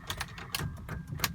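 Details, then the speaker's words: 2001 BMW E39 525i won't start: quick, uneven dry clicks with no cranking; dead battery, drained by lights left on and doors open while detailing the day before. "oh that's embarrassing dope yep that's pretty embarrassing dead battery"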